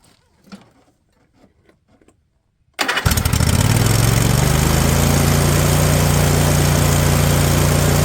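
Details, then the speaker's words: Husqvarna riding mower, Briggs & Stratton Intek V-twin, over 900 hours: a few quiet knocks, then fires and holds a fast, steady speed that never drops to idle; engine will not idle down. "what is going on I took the idle set screw out so let's see what it does now"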